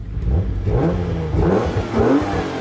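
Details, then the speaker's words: Mark 1 Mazda MX-5 with a 3.0-litre Jaguar S-Type V6 swap, first start-up: engine catches and blips three times, pitch rising and falling cleanly with no knocks or stumbles; healthy free-revving V6. "let's a starter up first oh my god that sounds good"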